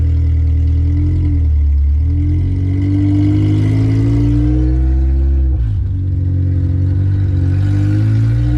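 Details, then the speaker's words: K-swapped Honda Civic project first drive, through first and second gear: loud, raw, deep engine note rising and falling with no muffling; no exhaust fitted yet. "This thing has no exhaust, so it's super loud, but I mean, she's ready to go."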